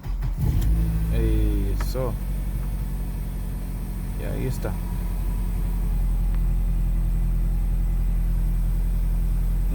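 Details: 2003 Nissan Altima four-cylinder, after repair of no-start: engine catches and settles into steady even idle, low smooth hum, no misfire or stumble; normal running, problem solved.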